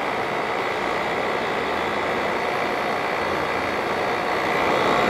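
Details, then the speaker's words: 1988 Fedders Cool Tote Slim 5000 BTU air conditioner on low fan: steady airy rush, compressor barely audible under the fan, no knocks or rattles; quiet healthy cooling run. "Wow, that compressor is super quiet. You can barely hear it. That's incredible."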